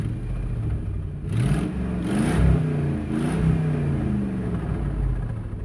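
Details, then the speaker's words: Truck after muffler, which had come off the header, was bolted back with a split flange: engine revs with smooth, even exhaust note, no blowing leak or lift-off crackle; loud noise gone, exhaust repaired. "I just drove it down the road and back it's actually even driving a little bit better but that loud noise is gone"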